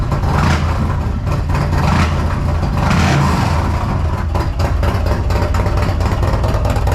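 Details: 2022 Harley CVO after a Feuling Reaper 472 cam and camchest upgrade, Thundermax tuner, FullSac headers and S&S intake: deep, loud loping V-twin rumble, steady uneven cam beat, brief rev, no ticks or knocks; healthy.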